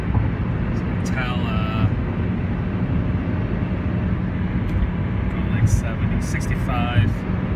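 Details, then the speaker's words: 1997 Honda Civic (D16Y7 engine) driving after replacing the failed driver-side rear wheel bearing and hub; steady, even road rumble with no hum or growl, no pitch change in turns; much quieter, bearing healthy though passenger side may also be failing. "don't hear any of that sound anymore it's much quieter"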